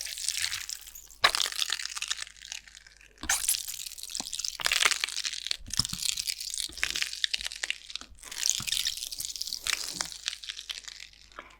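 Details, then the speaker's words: Water gun rebuilt as a demonstration shock absorber, held close to the microphone: fine, fizzy crackling in bursts as the fluid is pumped, cavitation vapor bubbles collapsing into tiny shock waves that over time damage a shock. "Can you hear the tiny little crackling? Well when the pressure actually equalizes, eventually the bubbles of course they collapse and when they collapse they create little shock waves"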